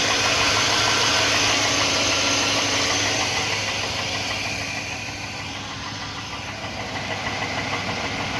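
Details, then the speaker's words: 2001 Chevrolet Silverado 4.8 L V8 cold start, frost on windshield: steady sharp knock about three a second at idle, gone after about a minute warm; owner suspects piston slap, not confirmed. "bottom in it's a bottom in knob for the Pistons and then after it gets a little warm I guess the piston rings expand and it goes away"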